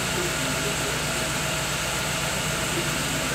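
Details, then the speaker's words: Chevrolet Agile with new coil, plug wires and spark plugs, idling after a timing belt job, timing checked with an oscilloscope between marks 8 and 9: rough, stumbling idle with dropped pulses; crank sensor relearn not done. "Mas o carro tá falhando."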